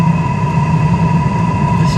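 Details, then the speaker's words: New Espar D4L diesel heater in a Sprinter 4x4. After checking the glow plug and replacing the screen, it now fires where it did not before. Steady low combustion rumble under an even fan whir, no sputter or surging. Normal running. "I switched out the screen and now we have fire and we did not have fire before"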